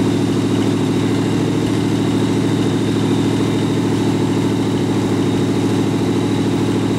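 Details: Rat rod truck idling with a York AC compressor converted to a belt-driven air pump for an air-bag suspension, filling the tank, switch set near 100 psi; smooth idle with even pump beat about 160 strokes per minute, normal.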